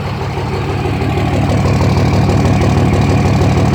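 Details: 2004.5 Dodge RAM 2500 Cummins diesel idle: deep, steady, slightly uneven low thump about three per second; owner asks if normal, excessive vapor from oil fill cap (suspected blow-by); rough idle, cause unclear.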